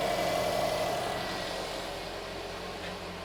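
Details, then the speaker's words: 2010 Subaru Impreza 2.0L flat-four idling right after spark plug replacement, air box still off: quiet, even idle with a steady soft hum and no knocks or stumbles; engine light on, owner guesses from an unplugged wire. "car the car sounding good now there is an engine light on the dash but I'm guessing because this wire here is not plugged in"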